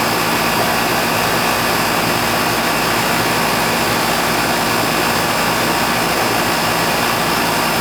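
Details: Older outdoor AC condenser after replacing a bad capacitor: strong, steady fan rush with even compressor hum, no stutter or buzzing; runs normally, subcooling 12, possibly slightly overcharged.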